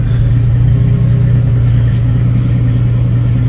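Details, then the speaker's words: 1990 Jeep YJ 4.2L with 5-speed, after installing a starter relay and ignition switch: it starts easily and holds a steady, even low idle with no misses or knocks. Healthy. "at least now it starts nice and easy."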